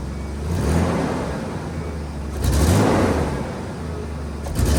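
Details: Nissan Hardbody pickup bought at auction, sat for months, fresh oil change and 5 gallons of fresh gas added to old fuel; revs rise cleanly on gentle throttle but flutter when stabbed; owner suspects spark plugs, plug wires or old gas.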